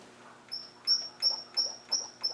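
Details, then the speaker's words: Land Rover 300Tdi turned by hand with a socket, glow plugs out, injectors unpowered, no vacuum or fuel pump fitted: a sharp, high squeak about twice a second, traced to one valve; the reason for the squeak is unknown. "it's that definitely that it the others wouldn't do that why on Earth is it squeaking"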